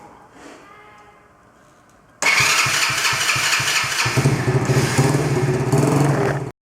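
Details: Broken quad bike after carburetor leak fixed and refuelled, choke on and a bit of throttle: quiet, then starter churns at about three and a half turns a second with no catch; cranks but won't fire.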